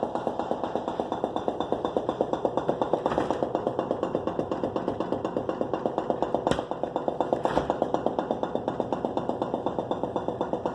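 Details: Whirlpool Gold refrigerator: steady rapid knocking about twice a second over a low mechanical hum, happening periodically and stopping when the doors are slammed; cause unknown.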